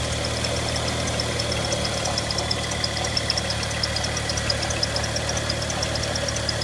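Sharp, fast ticking at roughly three per second rides over a steady idle, typical of valvetrain or injector tick, cause unclear.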